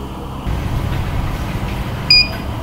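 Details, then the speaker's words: CCTV recorder that had been beeping continuously and not working, after removing and reformatting the hard drive: one short high beep over the fan hum, a normal startup. "dahil ang magiging beef niya is Isa na lang so maririnig po natin isang beef na lang po siya"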